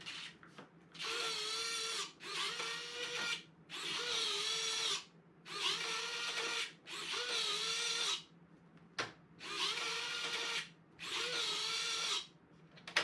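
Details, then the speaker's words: FMS PC-21 Pilatus RC plane (1100mm) landing-gear retract during build: repeated roughly one-second whirring bursts with a wavering electric-motor tone, gear not working; all three retracts were later found faulty. "it's like that one's trying to work. I can hear it. Huh. That's weird."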